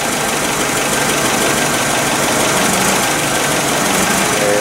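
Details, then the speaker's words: Nissan forklift engine running rough, stumbling idle with irregular missed beats; the misfire moved to cylinder three after swapping coils between three and four, confirming a faulty ignition coil. "okay so the problem definitely transferred over to number three okay so now pretty sure it's going to be a fourth issue"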